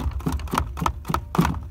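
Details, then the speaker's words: Renault Kangoo 3 (1.5 dCi K9K) on rough roads: the jack's pin pops out of its rubber grommet, so the loose jack swings and bangs in its mount with hollow, dull knocks about four times a second. "Ну, як правило, на наших класних дорогах він завжди вилітав з цієї резинки. І отако весь час"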